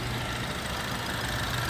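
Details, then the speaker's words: 2016 BMW X4 engine idling after valve cover replacement for whistling integrated breather (excess vacuum), coils, plugs and fuel lines refitted: steady even idle, smooth low hum, no whistle or hiss; normal healthy idle after repair. "Coils and plugs are back in. This thing is running good."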